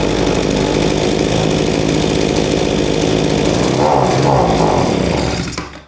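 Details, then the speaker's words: AMA generic leaf blower, a two-stroke, reported to bog down; the plug was badly fouled and there was no air filter. A steady buzz, then the pitch sags and fades out, a bog blamed on a faulty carburetor, which was replaced. "I've never seen that brand before, so it must be just some sort of a Chinese generic brand. But I'm told that it's bogging down."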